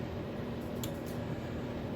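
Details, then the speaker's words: Samsung over-the-range microwave, run for 30 seconds after replacing the faulty button panel with control board: a steady low hum with an even fan rush and no buzzing, arcing or rattles shows it is running normally. "So let's just fire it up a second and give it 30 seconds. There it is. The unit is working."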